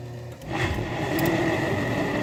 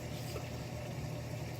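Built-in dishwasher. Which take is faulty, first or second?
first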